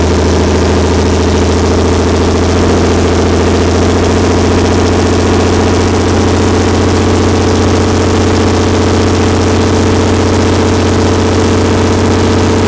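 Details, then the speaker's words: Perkins 354-series diesel on a 45 kW Empire generator after injection pump reinstall: steady even drone at no load around 61.3 Hz, no hunting or misses, no major fuel leaks; normal no-load running. "okay we're at 61.3 that's uh that's an acceptable no load speed for now i don't see any massive fuel leaks that's a plus"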